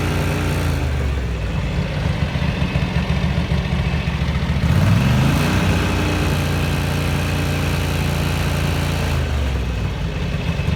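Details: 1983 Ducati MHR bevel-drive twin, 40mm Dellorto carburettors after vacuum-gauge balancing: even, steady beat with a brief throttle blip midway returning to a settled idle; carbs well balanced, normal idle.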